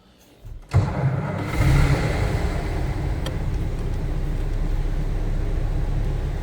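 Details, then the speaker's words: 1925 Pierce-Arrow Series 80 Opera Coupe, about 4.7 L inline six, manual, restarted after touchy ignition switch shut it off, float possibly sticking: catches right away after short crank, steady even low idle, no misses or knocks; runs smooth. "seems to run pretty smooth."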